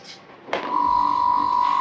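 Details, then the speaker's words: Monoblock water pump motor after bearing repair, lifted off its wooden stand: starts and settles into a clean steady hum with no grinding; slight noise from the loose water-through part. "ये है इसकी असली आवाज देखिए ठीक है"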